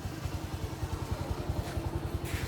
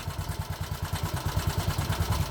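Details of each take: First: 2020 Bajaj Boxer X150 single-cylinder after replacing a worn piston that rubbed the cylinder walls, plus new plug and gasket kit: even steady putter at idle, no knocking, healthy. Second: 2020 Bajaj Boxer X150 motorcycle at idle before repair: a heavy uneven thumping of about nine beats a second with clattery knocks, and the bike shakes violently. Tappets or timing chain were suspected first; opening the engine found a worn piston rubbing the cylinder walls.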